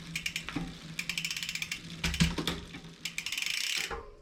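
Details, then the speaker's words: 2020 Specialized Fuse 27.5+ with a Shimano Deore Shadow Plus 10-speed rear derailleur: the H limit screw is overtightened, so the chain rubs the next cog with bursts of metallic ticking and clatter when shifting. "Continue tightening until you hear noises when you shift up to the next gear."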